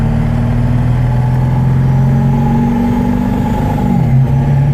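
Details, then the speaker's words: 1997 Ford F-250 Super Duty 7.3 L turbo diesel driving after fresh synthetic differential, motor oil, transmission, transfer case and coolant changes; smooth steady low drone, pitch easing under load, no knocks; owner says everything's smoother, healthy. "Sounds great. So smooth now. Wow. It is. Everything's a lot smoother."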